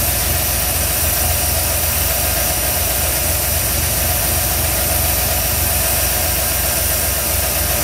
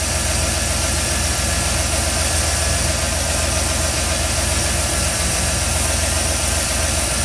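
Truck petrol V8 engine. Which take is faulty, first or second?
second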